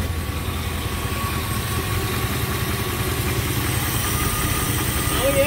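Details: 1956 Chevy Nomad V8 after charging-issue fix with an alternator ground wire, generator light now off: steady, slightly uneven burble with no knocks or squeals over outdoor noise; normal idle.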